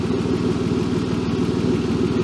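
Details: BMW E36 drift car on the lift at idle: fast, even puffing tick with nothing else in the background; exhaust leak felt near the front of the exhaust, to be sealed again.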